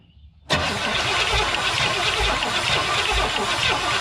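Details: 1970 Pontiac Tempest with valve covers off to inspect the valvetrain: the starter spins the engine at a steady even chug with no firing; cranks but won't start, and the valvetrain looks fine.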